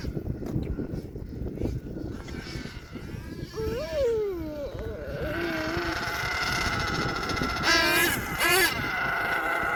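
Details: HPI Savage XL twin nitro truck with Twinzilla kit: two buzzing nitro motors wander apart in pitch, one climbing high then the other catching up; motor 2 out of sync, before throttle linkage setting and tuning.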